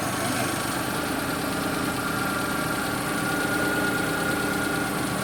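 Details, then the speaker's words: Suzuki F6A carbureted multicab, after carburetor cleaning, distributor cap cleaning and three new spark plugs, fixing hard starting and misfire: starts on one crank into a steady, even idle with no misses; normal. "Napansin niyo naman mga boss no one click and matining na siya so ang ibig sabihin nito ay nagamot na natin yung hard starting niya"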